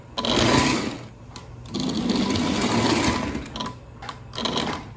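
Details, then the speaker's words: Lionel 6200 Turbine 6-8404 model locomotive engine on very low voltage: even, high steady whir with no stutter or grinding; motor runs smoothly and healthy (tender has separate electrical fault). "So no complaints about the engine. It is smooth. It operates on a very low voltage."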